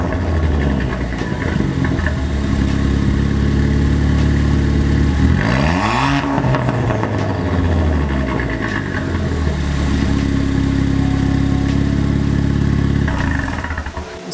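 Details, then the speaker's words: Ford Fiesta ST with temporary swappable straight-pipe race exhaust replacing muffler, not yet fully welded: loud, raspy idle with clean revs rising and falling, little rattle or buzzing; normal running with straight pipe. "So it didn't seem to rattle too bad. Like I said, I'll probably go ahead and finish welding up everything and probably lop it off."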